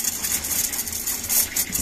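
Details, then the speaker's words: Motorhome water system after freezing, pump reactivated while heating a suspected ice plug: hissing, spluttering surging flow over small pump hum; air in the water lines, water arriving in jerks, owner suspects ice blockage somewhere. "on a de l'air dans le circuit mais on a de en tout cas ça arrive"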